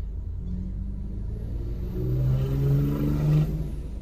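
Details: Ford DPS6 dual-clutch transmission after clutch replacement, idle touch-point adaptation: a steady low idle with a gentle rise and settle in revs. Normal idle during clutch learning.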